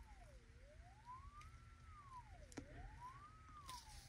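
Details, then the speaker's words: Mid-1930s Airmaster 5-tube radio, 1 kHz and varied-frequency tone fed to plate and screen grid at 25L6 output socket, field coil unenergized; clean tone sweeps up and down without buzz or rattle; voice coil and output transformer appear good. "You may be able to hear that generating a tone at 1,00 hertz or 1 kilohertz. And you can hear the audio."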